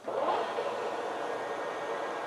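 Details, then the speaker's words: Used industrial lathe bought at auction, running at 630 RPM with power feeds dialed down: even, steady gear hum, no knocks, rattles or whine; headstock running normally. "See, that's 630 RPM. Sounds great."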